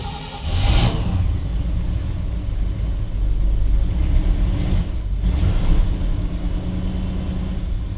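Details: 1959 Chevrolet Bel Air, 348 engine, first cold start of the season after sitting since October, cranked until the oil light goes out and the choke set: catches quickly and settles into a steady, even fast idle with no knocks; healthy.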